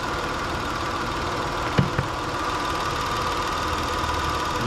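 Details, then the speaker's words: Car with intermittent then total no-start while cranking, battery about five years old: once started, steady even idle with a light sewing-machine patter, no knocks or misses; alternator charging about 14.57 V; normal idle. "just to prove that the alternator is working with the car running sounds like a sewing machine anyway"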